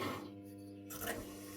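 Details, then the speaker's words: Older washing machine in a Spanish house, running an empty first cycle before the water tap is turned on: a low steady hum with a faint whirr and one soft clunk as the drain pump runs normally. "That says the pump is doing its weight. No, that was too optimistic. The pump is doing its thing."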